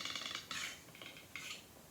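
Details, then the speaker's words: Solar Headless 7 H2.7C guitar during fretwork check: light bright metallic taps and ringing ticks on the right side of a fret only, not the middle; fret lifting loose, possibly popped from fretboard shrinkage. "Can you hear that? It doesn't do that here. It doesn't do that in the middle. It does that on the right side."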